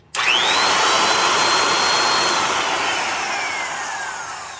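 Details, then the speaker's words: Black & Decker Best Deluxe 1/4-inch router with a sleeve upper bearing: whines then coasts down with falling pitch and a loose rattling buzz as the motor end wobbles; worn sleeve bearing rattle on spin-down. "Hear that noise right when it slows down. That's the sound of the end of the motor wobbling around and rattling in that sleeve bearing."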